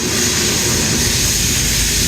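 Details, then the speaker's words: Rebuilt Strong Scott 5-ton ribbon feed mixer, 480 V three-phase motor driving gearbox via coupling, in active shop with background noise: steady, even motor hum, no knocks, rubs or surges; everything hums along normally. "we can see the large motor running here everything hums right along works as it should"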